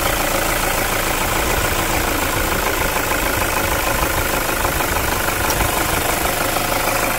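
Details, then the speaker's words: 2010 Toyota SW4 3.0 diesel, 187,000 km, after a post-purchase service including decarbonization: steady, even diesel clatter at idle with no misses, knocks or wandering speed; normal healthy idle. "187.000 km rodados daqui a pouco a gente confere a melodia vamos escutar juntos essa Melodia"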